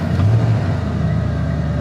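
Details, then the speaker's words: 1990 Ford F-150 Lariat, 351 Windsor V8, after short drive: steady fast idle around 1100 RPM, never settling down; IAC and vacuum lines fine, bad ECM capacitor suspected, also firm shifts. "it just actually won't hardly come off that fast idle it's actually not doing too bad right now after a short drive it'll be stuck at about 1100 RPM"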